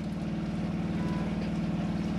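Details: 2005 Autocruise Starspirit motorhome water pump running while the cold tap is opened to fill the boiler: fast, steady pulsing hum with a regular beat as air is pushed out; pump working normally.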